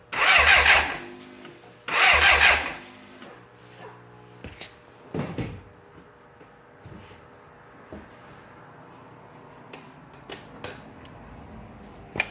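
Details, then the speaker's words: 1985 BMW K100 motorcycle, fire-damaged and sat six years, hard to start: two short one-second bursts of cranking with no firing, then quiet clicks; crank no start, loose internal relay part suspected. "Okay, we got the bike torn down again, trying to find out why this thing won't start."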